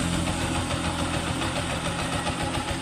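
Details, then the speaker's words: TMX 125 single-cylinder motorcycle after engine rebuild/upgrade (needle bearing kept failing): even idle with steady low thump, no knocking or rattle, very quiet; normal idle. "ready na idol Okay na quality tahimik na tahimik ang"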